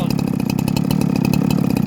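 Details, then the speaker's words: Husqvarna 372XT chainsaw: rapid, lumpy two-stroke idle with uneven blubbery burbling pulses, close to stalling; running way rich. "Running way rich, listen to this."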